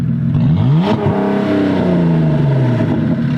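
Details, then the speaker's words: 2008 Saturn Aura XR 3.6 being souped up: engine blips up and falls back with a light metallic rattle over the revs, attributed to worn hydraulic lifters; it still runs well. "you can tell this thing makes more rattling noises the hydraulic lifters on these things they always go but it runs good enough you don't care but that's what the noise is"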